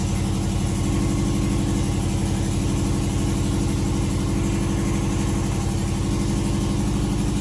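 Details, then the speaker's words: Subaru Impreza GF8 after new oil pan, valve cover gaskets, plugs and wires, first start: idle with sharp even puff-tick about four per second; bad exhaust leak underneath, suspected header gaskets needing replacement. "Shut it off. Sounds like I got a pretty bad exhaust leak underneath. Probably should replace the gaskets on those headers there."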